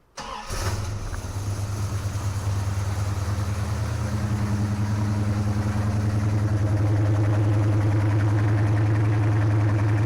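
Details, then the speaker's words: 1972 Plymouth Roadrunner, 383 V8 with Doug's headers, after a new power steering box install: short crank, quick catch, then a deep, even burble settling to a smooth, steady idle with no misfire; running right. "you can listen to it it's a sweet sounding old car and it's finally finally starting to get back right"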